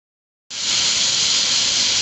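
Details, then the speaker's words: 2004 Chrysler Pacifica 3.5L V6, 120,000 miles, misfire on cylinder 6: steady airy high-pitched hiss from a vacuum leak at the intake manifold runner control shaft, driver's side above the transmission, confirmed by smoke test. "the vacuum leak's coming out from the uh driver's side just above the transmission up underneath right here"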